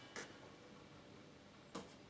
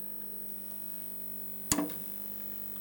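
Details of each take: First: Solis solar inverter that starts but won't run: sharp isolated relay clicks about 1.5 s apart in a quiet room as it fails to start generating, on zero watts; suspected Zettler relay contact pressure problem. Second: Solis grid solar inverter that starts but won't run (Zettler relay contact pressure problem): quiet steady low hum with one sharp relay click partway through as it switches in and starts up, showing generating.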